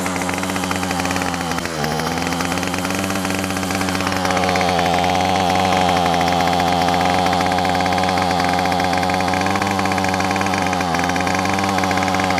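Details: Yard Machine two-stroke weedeater, about three years old, after new carburetor, gasket and spark plug fixed very rough running: steady, even buzz holding speed without stumbling or surging; normal running.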